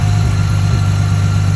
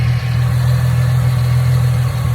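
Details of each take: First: 2010 Ford Mustang 4.0L V6, previously idling rough, idling after a new MAF sensor was fitted and the PCM reset by disconnecting the battery: a deep, even idle rumble with no stumbles or hunting; normal idle. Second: 2010 Ford Mustang 4.0L V6 with rough idling and sluggish acceleration, idling before the MAF sensor was disconnected. The idle is steady and low with a faint uneven lope and no knocks or ticks. The owner suspects the engine is not getting the right air; cause not yet found.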